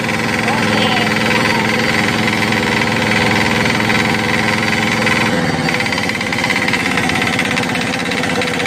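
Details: Crown CDP 80 3-inch single-cylinder diesel water pump, filled with diesel, oil and priming water: fast even thumping with steady clatter; running strong and healthy.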